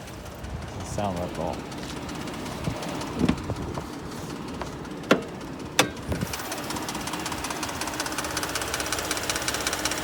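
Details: 2020 Ford F150 3.5 EcoBoost at startup: after a few clicks and bumps the engine starts and runs with a steady, rapid knocking over the idle.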